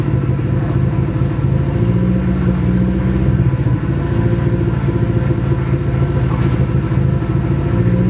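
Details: Nissan SR20 in a 240 on first start after engine install, open downpipe: rough, loud steady fast idle with irregular chuffs in the exhaust pulses; engine misfire, cause unconfirmed, owner suspects bad original gas.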